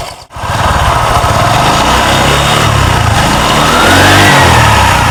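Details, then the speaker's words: Honda Vario 125 scooter after repairing the CVT pulley without replacement parts. It starts with a blip and settles to a smooth idle and light rev; the idle tak-tak knock is gone. "Oke sudah terpasang kita coba Nyalakan Nah teman-teman di sini suara toktak-toktaknya hilang"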